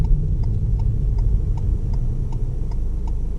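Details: Manual car pulling up and stopping on the left in 3rd gear, signal on: crisp, evenly spaced ticks about two or three a second over low engine rumble; normal turn signal ticking.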